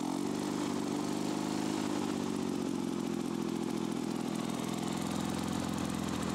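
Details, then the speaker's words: Lawn-Boy two-stroke mower after patching holes in the rusted muffler and crankcase: loud, ragged running with uneven clattery firing, not running well; rough running, owner finds the mixture adjustment hard to set. "ça fait du bruit quand même après tourne pas très très bien oh la vache ça fait du bruit"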